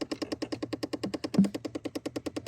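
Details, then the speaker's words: Chevy Impala with clicking behind the dash: rapid, even clicking about ten per second from a broken blend door actuator; unclear at first which side, traced to the faulty unit and replaced. "it might be the other side okay so I do hear clicking is it this one over here it is clicking it might be the other side"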